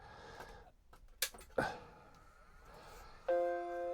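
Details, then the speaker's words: Macintosh Classic II being repaired for vertical jailbars, ROMs reinstalled: after a couple of clicks a clean startup chime rings out, then the hard drive churns and the happy Mac appears; board boots properly. "Did you hear that dong? That sounds promising."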